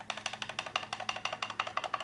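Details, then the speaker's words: IOGEAR Thunderbolt 3 Docking Station Pro GTD735 shaken by hand: quick light plastic clicks, about six a second, from a loose side panel that wiggles; rattle stops when a finger holds the panel. "You can hear that plastic rattling a little bit."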